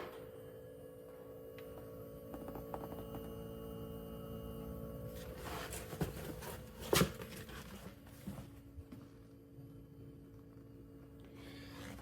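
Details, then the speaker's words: VN V8 Commodore with new in-tank Walbro 460 fuel pump on upgraded sender, run about a minute after priming, no leaks: faint steady even hum, one handling knock; quiet normal pump operation. "And the thing I've noticed straight away is just how quiet it is. I'll just let you listen to this for a second."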